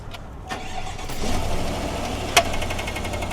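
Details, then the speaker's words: GMC 1500 gas engine, which a dealer said needed an engine after a loud crack at 80 mph: on startup a sharp bang about two seconds in, an intake backfire from a rocker arm that isn't moving. "I heard that little clack and Turn it off. So did you hear that like bang?"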